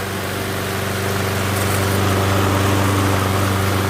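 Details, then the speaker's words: MTD Gold self-propelled mower with Briggs & Stratton Quantum engine, primed and started outdoors after pull-rope repair: steady, even smooth drone, no misfires or surging; runs good, self-propel intermittent, stripped front wheels suspected. "all right runs good um just need to figure out what's wrong with that self propel"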